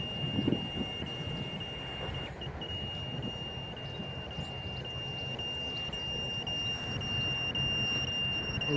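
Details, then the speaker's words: Walkera Rodeo 150 racing drone low-voltage (LVC) warning: piercing high-pitched buzzer holding steady over faint hiss while red light flashes; battery run down; no throttle cut. "okay buzzer is beeping so it does have a lvc warning and I see the light the red light is flashing as well"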